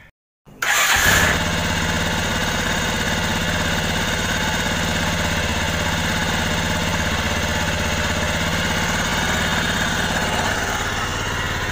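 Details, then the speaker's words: Bajaj Pulsar with hard-starting electric starter (noisy, heavy, dirty starter motor; small 3 Ah battery); after adding an extra thick ground cable to battery negative, starter whirs briefly and engine catches in about a second, settling into steady even idle: normal start. "Oke, jadi motornya bisa dinyalakan."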